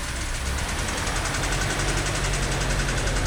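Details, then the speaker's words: 1938 Chrysler Imperial, start after getting plenty of fuel to it: steady, even, low idle with a smooth beat and no misses or knocks. The old engine is running cleanly again. "Just needed to have faith. Just need a lot of fuel. That is magical. What a nice old car."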